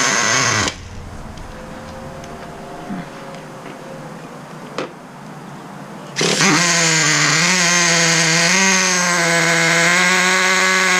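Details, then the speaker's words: 2006 Traxxas Nitro 4-Tec 3.3 (model 4809) nitro RC car, 17 years old, primed: starts first try, high raspy engine with pitch wandering up and down, won't hold idle; low speed needle being adjusted to tune it. "So you can hear it starts up, but gotta tune this sucker that way it likes to idle."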